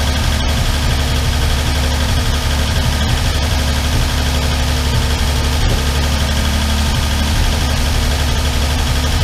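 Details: Armstrong Siddeley Star Sapphire special, hemispherical head, cold on choke just after first start in probably over 40 years: steady idle with a light, quick top-end clatter over a low rumble. All tappets a bit loose and need resetting.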